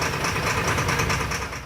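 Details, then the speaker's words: LMTV military truck diesel running with a fast, slightly uneven clatter after starting by bypassing the fuel shut-off solenoid with a direct 24 V wire; not running right yet, solenoids and relays still to be checked. "started up now but it's not quite running right yet"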